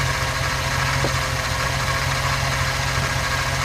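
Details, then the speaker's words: 2009 Chevy Silverado idling: steady, constant whine over the engine that doesn't change in rhythm, first blamed on the power steering pump, but bleeding and testing didn't cure it; worn idler pulley bearing. "lay me for being the power steering pump but done everything to bleed it and all that and stuff and everything and I still got that wine"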